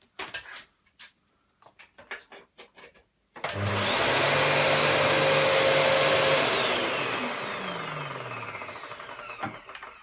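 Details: Panasonic MC-UG304 2000 W upright vacuum cleaner after disassembly and cleaning out the clog: after handling knocks the motor spins up to a strong, steady whine with even airflow, then settles, healthy running.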